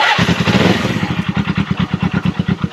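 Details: Old twin motorcycle after carburetor cleaning, airbox and filter service (mouse nest), started on choke: fires almost instantly after a short crank, settles into a steady, even idle with clean, regular pulses; healthy.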